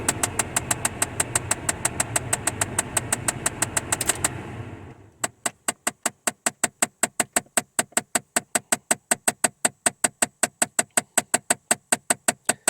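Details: 2008 Chevy Impala LS: rapid even clicking, about four a second, behind the glove box in certain A/C modes, appearing once warmed up; worn blend door actuator, replaced a second time.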